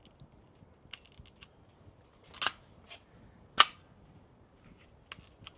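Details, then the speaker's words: Glock pistol recovered after 150 days underwater, failing to fire a round, then dry-fired off the rig: sharp slide clicks and snaps with a gritty squeak in the trigger; something inside is fouled, cause unclear. "It's just like squeaking. That just doesn't sound right. I don't really know exactly what's wrong. I just know that doesn't sound good."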